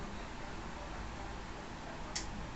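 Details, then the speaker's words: 2020 Yamaha Fazer 250 with code 12 (no crankshaft sensor signal): two sharp clicks about half a second apart as the starter relay engages, but the crankshaft doesn't turn, so no cranking; worn starter brushes. "ó não acionou o relé de partida ele emite o som mas a motocicleta não entra em funcionamento"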